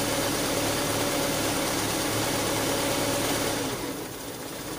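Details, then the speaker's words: Carbureted car with a DIY thermoswitch idle-up control. The temperature sensor is heated to simulate a warm engine, and the steady fast idle then drops to a slower, quieter beat as the idle-up cuts out automatically, which is normal. "ketika suhunya sudah panas maka RPM akan turun otomatis"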